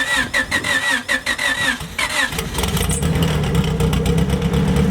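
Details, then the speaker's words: Widow's blown engine, sat outside in rain and snow, cranking unevenly two seconds then catching into a rough labored idle lacking snap, sounding hurt and pumping smoke. "by the way it sounds when you start it she sounds hurt she's hurting so you see how it's like pumping out this smoke"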